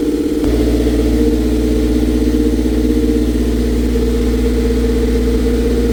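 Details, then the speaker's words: Toyota MR2 Spyder after fitting a Remflex gasket between OEM exhaust manifold and CHE test pipe: steady, even idle, exhaust rasp from the leaking joint gone, no leak felt by hand; repair successful. "so and even the sound of the exhaust is different like there's no there was a SL slight rasp before now there's no rasp so I believe this is solve the problem"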